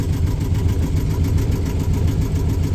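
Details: Yanmar diesel on the sailboat Sarabi idling after its first start; low, even thrum holding a steady idle without misses or knocks; normal idle.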